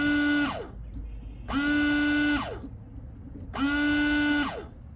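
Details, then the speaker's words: Hyundai Elantra windshield washer pump in the reservoir: three short buzzing bursts about two seconds apart, each holding a steady tone then winding down, but no fluid sprays from the nozzles; pump motor buzzing, no spray. "does your windshield wiper fluid not spray from the nozzle under the Hood do you not hear the buzzing noise coming from your windshire wiper reservoir"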